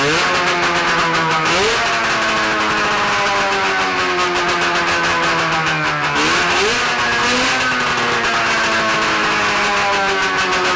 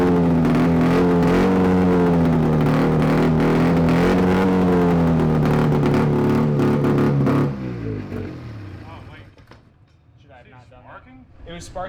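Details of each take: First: 670cc Bombardier two-stroke twin snowmobile engine (early-90s Arctic Cat), on expansion pipes with no muffler, test run: loud, crisp revving that settles back cleanly, even firing; sounds healthy, though throttle returns slowly. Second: Free 670cc two-stroke Bombardier snowmobile engine from an early-90s Arctic Cat: revs crisp and strong then abruptly dies; stops when exhaust is hooked up, cause unknown.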